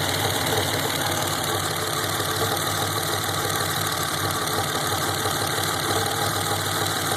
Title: 1987 Buick T-Type Rough Idle